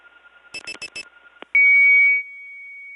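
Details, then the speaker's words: Early-1979 Gainesville, GA step tandem mapping, Flowery Branch test code 104: dial pulses, then a loud tone dropping to a quieter held tone that never ends; a broken 104 test that went off hook. "that's loud 104 is a broken 104 test it begins with this tone but not supposed to go on and on like that"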